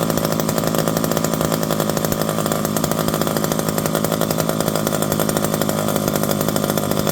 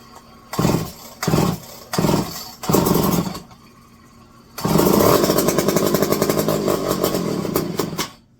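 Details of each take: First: Revived electric-start McCulloch 5-10E chainsaw with bar and chain, cutting: steady high buzzy two-stroke roar holding even speed without bogging or surging; runs healthy under load. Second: Electric-start McCulloch 510E chainsaw with a just-fitted carburetor: four short cranking bursts, then it catches with a rough, blubbering, uneven beat; running rich because the high-speed needle is set too far open.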